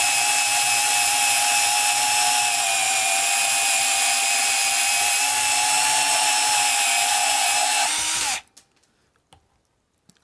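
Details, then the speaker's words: Rebuilt Milwaukee 2429-20 M12 sub-compact band saw cutting 1/4 inch steel plate, near its capacity: steady high whine with bright ringing cut at even pitch, small motor audibly laboring, then winds down; normal cutting under load. "Like I said, 1/4 inch thick steel, and this is probably a good, this is just about the capacity of this saw on 1/4 inch thick plate, so you could hear the motor laboring, and I'm not really surprised by that, because it's not a huge motor on this thing."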